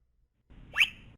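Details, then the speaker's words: Sigma7 servo tune-filter mechanical analysis on a wheel load: brief hum then quick chirp sweeping up and down through all frequencies, no ringing afterward; clean sweep without resonance. "there's little chirp that's the sound of all of the frequencies going through the system"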